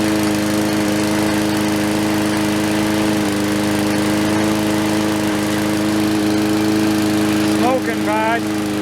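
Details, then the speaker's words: Murray 4-stroke lawnmower on first pull after fresh oil, fresh gas and priming: loud, fairly steady single-cylinder run; likely sat tipped or overfilled so oil built up in the cylinder and fouled the plug; oil fouling on first start. "A lot of times when these sit, people will have them sitting in a shed or something on an angle or overfilled with oil, and it builds up in the cylinder. When I took the plug out, it was quite foul."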